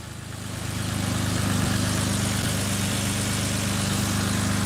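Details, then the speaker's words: BMW E90 cold start after three-stage intake manifold install, tune and motor mount reattached: engine settles into smooth, even idle with no misfires, ticks or hiss; healthy engine. "Sounds like we got a we got a healthy engine right there. I'll let her warm up a little bit and then we'll give it a little gas. So far, the engine, you can tell there's no misfires."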